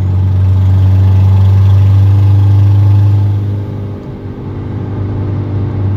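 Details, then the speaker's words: Turbo Mazda 3 with a check engine light that had thrown a mass airflow sensor code, and with an existing exhaust leak. Revving gives a steady deep drone with faint rapid puffing underneath, like a bad exhaust leak. Cause undetermined. "it kind of sounds like a really bad exhaust leak but obviously I already have an exhaust leak so I don't know if this has anything to do with it or not"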